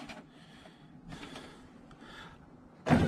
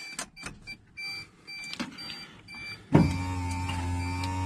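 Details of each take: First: Suzuki X-90 driver's power window after replacing the motor that would go down but not up: quiet motor whir, glass moving smoothly, firm thud at the stop; still a bit weak but working normally. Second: Suzuki X-90 driver's window motor, removed, cracked, broken and wet with moisture, window went down but not up: two even whirring runs of about two seconds, steady pitch, no grinding; motor runs but is being replaced anyway.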